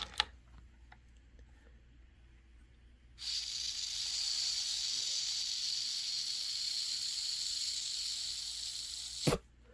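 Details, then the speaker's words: Honeywell water heater gas control valve that lights blue and turns off, tested after the second solenoid click. A click, then a steady soft hiss of gas with nothing rough in it; the pilot is working, normal pilot gas flow. "so the Pilot's working let's set it to very hot or just hot whatever you hear the second click"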